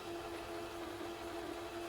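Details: Panasonic NV-G30 VCR fast-forwarding a tape shell during teardown testing: quiet, even hum with steady mid tone, no catches or scraping; fast-forward drive runs smoothly.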